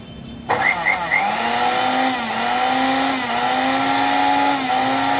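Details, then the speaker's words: Mixer grinder that was completely dead due to a faulty mains cord, after replacing the cord: motor snaps on and settles into a steady even high whine; running properly. "एकदम व्यवस्थित चालू झालेला आहे mixer."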